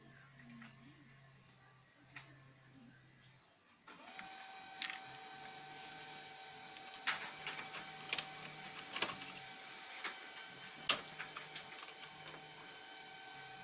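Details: Lexmark X364dn printer: quiet, then rough grinding with irregular clicks and rattles on start; replacing fuser and main drive assembly did not help, replacing duplex assembly solved it.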